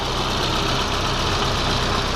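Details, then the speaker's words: 1991 Volvo 245 after replacing the faulty throttle position sensor: an even, settled idle with a smooth steady hum, much closer to its 1200 rpm spec, no longer idling high. "huh that is so much nicer and smoother that's much closer to its 1200 RPMs"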